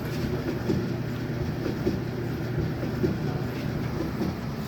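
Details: Samsung gas dryer, drum rollers fitted with sealed 10x22x6mm bearings on M10 bolts, after repair, run on air fluff with no heat: steady low rumble with soft loose tumbling beat, no squeal or thumping; sounds a lot better, normal drum rotation.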